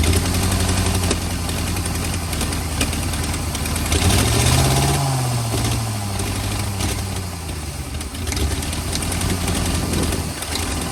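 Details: 1940 or 1941 Ford truck with flathead V8, sat about 50 years, cold block: lumpy, uneven idle with a loose thudding beat and a brief rev swell. Rough running; owner suspects worn rings, unconfirmed.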